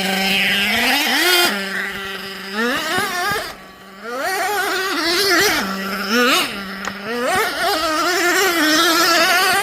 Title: Nitro Sounds Like High Idle And Odd.. Jato Sounds = when idle is too high.. #nitro #rc #jatos